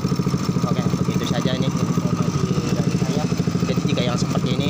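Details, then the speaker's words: Honda Grand motorcycle after engine overhaul: steady fast idle never settling; idle stays high however often adjusted, neutral hard to reach; carburetor faulty. "walaupun kita setel langsung untuk berkali-kali pun dia langsanya bakalan tinggi terus dan perpindahan giginya itu untuk mencapai netral itu kesusahan ya teman-teman"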